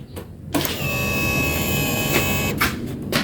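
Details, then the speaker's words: Honda Vario 150 that had a total electrical failure, after replacing the rat-chewed injector connector socket: at key-on the fuel pump gives a steady electric hum with a faint whir for about two seconds, then cuts off, priming normally. "ya dan pulpam pun langsung berdengung kita dengarkan lagi matikan"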